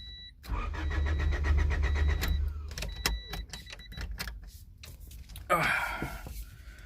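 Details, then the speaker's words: Honda Del Sol that won't start: starter spins the engine at an even churn for about two seconds, then a click and silence; it never fires. Owner hears no fuel pump priming and suspects no fuel. Cranks but no start. "well i know for sure we are not getting no fuel i'm not hearing that fuel pump come on"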